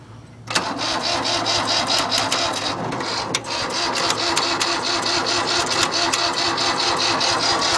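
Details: Cold start: fast, uneven starter whirring and clatter for seconds that never catches, a crank no-start; the starter overheats between tries and it looks bone dry.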